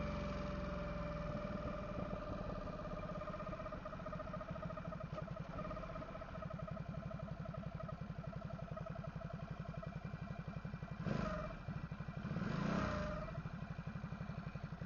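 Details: Ducati SuperSport S 939: thin, steady whine over engine pulse when rolling in gear with clutch engaged, gone with clutch pulled; appeared 2-3 weeks ago, briefly vanished after oil top-up; owner suspects dry clutch seal ring, unconfirmed.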